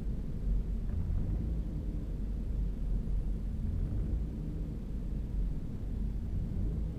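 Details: 2011 Ford EcoBoost at startup idle: deep, uneven rumble with no steady beat; the engine idles rough.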